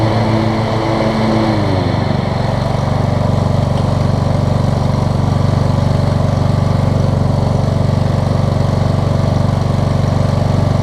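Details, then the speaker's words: Toro Z5000 zero-turn, Kohler Courage single-cylinder, after intake valve clearance fixed and choke adjusted; long-sitting mower, muffler oil buildup suspected, slight smoke, oil overfill suspected; catches then settles into smooth steady thrum, no popping; normal running. "well guys it didn't occur to me that i probably haven't or this thing probably ain't been running a while and just maybe had some oil build up in the muffler it's running great now though"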